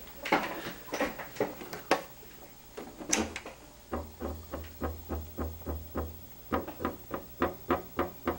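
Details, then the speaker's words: Marco CP 690E eye-chart projector after repair (re-soldered circuit-board capacitor) following a dead, unresponsive fault: light even clicks about twice a second over a faint hum as slides step on remote presses; normal. "and those are the usual sounds and then it uh projects in response to each of the acuity slides on the remote control as I'm pressing it"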